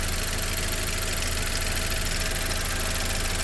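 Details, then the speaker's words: 2011 Saab 9-5 NG after new turbo and timing chain kit (old turbo oil-starved, chain rattled previously): smooth even idle hum with quick steady pulse, no chain rattle or clatter; normal idle after repair. "But it runs really good now, y'all. Listen to this thing. Unbelievable."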